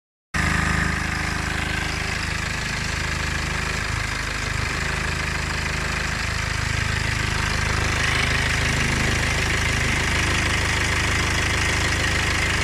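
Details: 2009 BMW E60 LCI with N47 diesel at idle: a steady rattly tick about three or four per second over the engine drone. The owner suspects timing chain noise.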